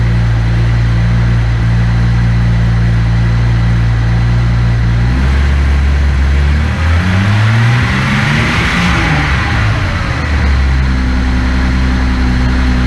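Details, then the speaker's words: First start after replacing the fuel injectors with OEM-spec parts: it cranks right up and idles high briefly, then settles to a smooth, steady low idle with a clean rev, no stumble or fuel leaks, a normal start. "all right the injectors are in and she runs great so cranked right up it idled high for a little bit but then it just kind of scenes itself out"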